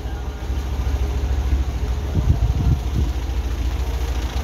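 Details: Car just started after its drained battery was charged with a charger; the charger is removed and the engine idles to charge through the alternator and warm up: a steady, even low idle with a smooth rumble and no knocks or misses. Normal.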